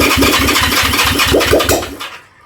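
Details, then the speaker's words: Honda CB360 being restarted on choke after first firing with a fuel smell: uneven cranking with firing pulses that almost catch then die, suggesting too much choke; hard starting, nearly catches. "Oh, that nearly. Okay, one more push. But maybe a little bit less choke."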